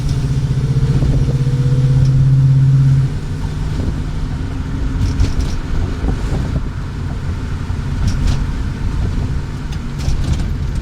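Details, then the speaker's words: Car "Katy" after shop fixed hidden vacuum leak at back of block causing high idle, smog/EGR system and cats deleted; deep, even rumble at steady ~600 rpm idle, no hunting or misses; normal idle. "So he fixed that, and now she doesn't idle that high now. She's idling a nice steady 600 RPM around there."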